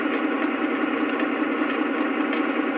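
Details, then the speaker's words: Brand-new 2025 Lionel FM TrainMaster diesel from the Post-War Inspired set; diesel sound effect with a fast, even buzzing, popping vibration rattle that intensifies when the whistle or horn sounds, cause not yet found. "it's making this rattling noise that gets more intense if I blow the whistle and when the engine's running it, you hear this rattling noise."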